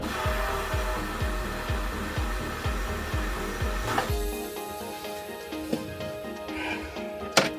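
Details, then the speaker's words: Sea Ray SLX 30 ft cruiser bilge pump: pump pulses about two beats a second then drops to a faint hum, running on; owner is almost certain the float switch is sticking and going bad, to be replaced if it sticks again. "I think this float switch was stuck. I wonder if this is going bad. In fact, I'm almost certain it is."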